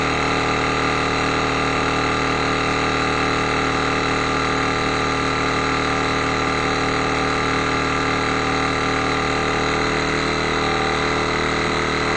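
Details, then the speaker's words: Reynolds Handi-Vac battery hand vacuum pump on freezer bag, batteries weak: steady buzzing hum that tightens and strains near the end as the bag pulls down to full vacuum; strain at full vacuum. "Now you can hear it putting a strain."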